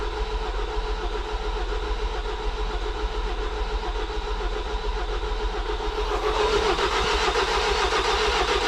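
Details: Ford Transit 2.0 EcoBlue after a wet timing belt failure, on a fully charged jump battery: the starter churns steadily at about two turns a second but never catches; no fuel or air reading, traced to an unplugged airflow sensor.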